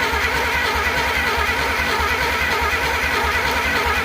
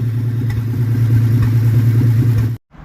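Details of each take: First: Replacement engine for 1947 Plymouth Special, sat since 1975, valves just unstuck: uneven stumbling beat with missing pulses that dies; plug wires put on in a different order, wrong firing order, spark still present at points. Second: 1947 Plymouth Special with a replacement engine that had sat since 1975, after correcting the firing order and adjusting the valves: steady low rumble at an even beat of about three pulses a second, no stumble, then cuts off. Running smooth.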